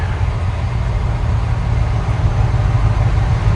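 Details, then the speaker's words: 1972 Chevy C20 small-cam V8 after a FiTech Go Street EFI install, idling after being shifted back to park with the target idle set near 690–700 rpm. A deep, even rumble with no flare; the idle is normal. "but it doesn't flare very high when i put it back in the park that's a good thing the steps are reasonable as long as in gear isn't really crazy high or pulling really hard on the converter i'm okay"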